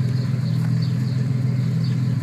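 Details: 1999 Ford Explorer SOHC V6 with a new engine, replacing one whose timing chains were gone, and 2.5–3 in exhaust tips welded on. At idle after startup there is a steady, even low rumble with no knocks or ticks; it is healthy.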